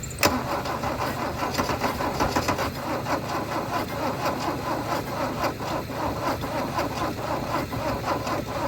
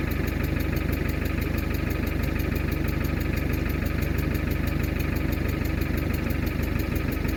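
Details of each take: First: Mercedes W123 300D, 3 L diesel parked 20 years, cranked with a jump from a Yaris with a better battery. Steady, even compression beats while cranking, close to firing but no start. The owner suspects no diesel is reaching the injectors. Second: Mercedes W123 300D, 3 L diesel parked 20 years, started once the vacuum switch cutting the diesel pump was closed. A steady, even clatter of about two beats a second at idle: a healthy idle.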